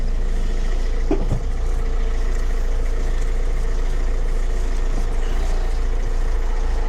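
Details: 2006 Mercedes Vito diesel van, sat about 6 months, after replacing alternator with seized pulley that caused no-start: steady diesel idle at constant low pulse, no squeal or grinding from front of engine; running fine.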